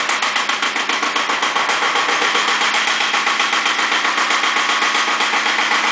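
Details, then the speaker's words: Second Iseki tractor diesel, possibly KE70, started warm at 70°F after glow plugs, low power and weak below about 1000 rpm: hard sharp knock about four times a second over the clatter; cause unconfirmed. "it's just a terrible blow-by issue it seems like it's just using the block as a as an exhaust pipe you'll hear it knock much harder"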